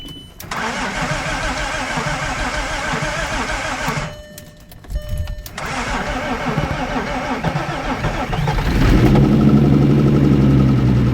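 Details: First start of a rebuilt 3.2 VR6 in a Mk4 Golf R32 after the rebuild: starter cranks briefly, pauses, then the engine catches and settles into a smooth, even idle. Healthy start.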